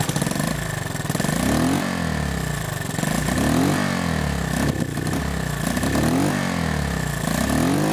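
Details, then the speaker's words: Honda 110 three-wheeler after carb rebuild and points/timing adjustment (previously bogging and backfiring under heavy throttle): steady single-cylinder putter with slight regular rise and fall, idling evenly and healthily. "It's idling nice, but here you can see the points in action."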